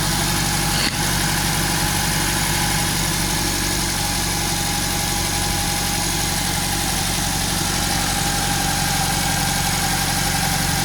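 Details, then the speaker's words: Used Nissan Grand Livina L10 automatic idling cold: smooth even hum, its typical ticking almost inaudible; exhaust somewhat loud because part of it seems removed. "ya alhamdulillah halus mesinnya suara ngelitik-ngelitik ala khasnya Livina kayaknya hampir tidak terdengar"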